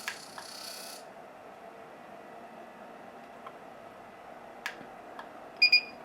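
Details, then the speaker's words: Thermaltake Dr. Power II PSU tester in manual A mode, on a PSU believed to have a bad PCIe connector: a few clicks, then two short high warning beeps at the PCI power reading; bad rail or connector suspected. "So that's what happens when you have a bad voltage rail or a bad connector or anything that's causing it not to give you a clean current."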